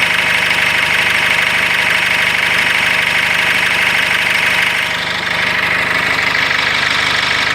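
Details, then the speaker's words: Cummins diesel in a GAZelle Next at idle with revving: a steady knock about three per second begins over the clatter after a fluid level dropped; cause not pinned down; engine knock. "О, начало стучать."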